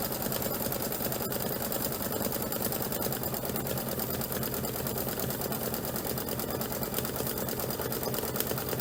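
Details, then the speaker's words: Embroidery machine stitching; steady fast even patter at constant speed, no thumping or strain; normal stitching. "Yeah, I can see a nice, it sounds much better. To me, to my ear, it sounds much better."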